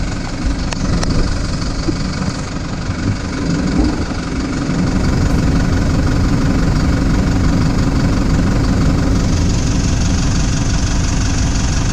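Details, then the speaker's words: Toyota Prado 150 diesel at idle after replacing part 17451-74051 to cure the common squeak: steady low clatter, no squeak heard, air conditioner about to be switched on to raise revs; normal diesel idle. "uh so far so good um i haven't heard anything put the air conditioner on see if it increases the revs and does anything"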